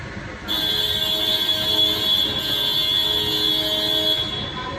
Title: Steering Sticky and Abnormal noise when turning fully left and right